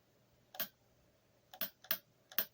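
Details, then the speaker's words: Valve body solenoids for a VW Rabbit, out of the car, each powered by an uncharged 12 V hobby battery: four crisp clicks, some softer than others, possibly from oil inside; normal solenoid click. "But you can hear them clicking, so we'll just keep going. One more here. So 1, 2, 3 are a little on the softer side."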